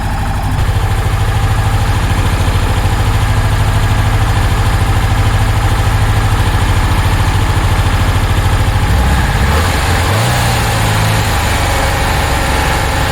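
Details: 1966 Porsche 912 cold start at about 60°F after a fuel line fix, distributor loosened for timing, smoking and burning oil: lumpy, loping idle of about three beats a second, then a stumble; two cylinders not firing, owner suspects a dirty carb.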